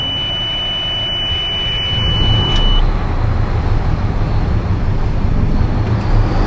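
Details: Oshkosh M1070 HET 8x8 diesel after restoring power to the D-deck system: a steady high beep for a few seconds, then a deep, even rumble at a normal idle, with good oil pressure and no leaks.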